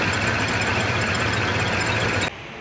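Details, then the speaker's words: 1979 Ford Bronco, first start after sitting, ignition switch bypassed: engine runs ragged as if on half its cylinders, then cuts out abruptly; misfire, cause unconfirmed, ignition switch suspected. "thing sounds like it's running on half the cylinders but at least it's running"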